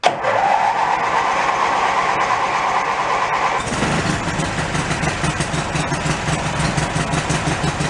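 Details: Mid-1980s Snapper riding mower rescued from a dump, with the seat safety switch wires jumpered and the transmission in neutral: brief cranking whirr, then the engine catches cleanly and settles into an even, steady idle. It starts and runs fine.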